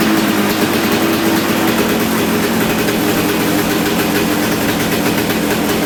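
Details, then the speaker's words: Kawasaki KX250 two-stroke, no longer bogging: loud busy crackle stays high and won't drop to low idle; idle adjustment seems to do little, carb still needs tuning. "the idle when I was adjusting the idle man it would it just it didn't seem like it was doing a whole lot"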